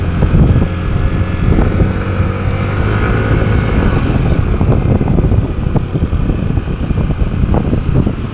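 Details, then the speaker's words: Yamaha NMAX scooter riding after replacing the primary driving gear and bearing: steady low engine drone under wind rush, with no droning or grinding from the transmission that used to appear around 20 km/h; normal ride. "Bale ang pinalitan lang natin dito mga boss yung primary driving gear niya tsaka yung bearing. Yun lang yung pinalitan natin dito. All goods na. Wala na yung ingay."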